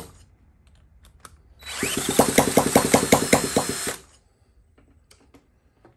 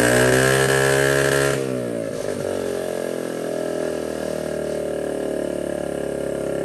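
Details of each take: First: 1979 Honda Z50 with fuel poured into the carburetor without removing it, and fuel leaking out of the bowl: the small single catches for about nine pops over two seconds, then dies; fuel starvation. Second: 1979 Honda Z50 with a loose, temporarily fitted SL70-style low exhaust: small single revs high, settles into a steady popping idle, then picks up again; runs cleanly and evenly.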